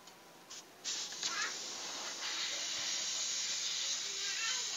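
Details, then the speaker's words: Chest freezer cooling only at top, previously flushed with gasoline, condenser replaced: cutting the line gives a thin, weak, even hiss; refrigerant nearly gone, confirming a leak, location unknown (welds or valve), oil coming out. "Kalau dari sisi freon Anda saksikan sendiri. Jadi ini habis ini. Ini bisa dipastikan ini bocor ini."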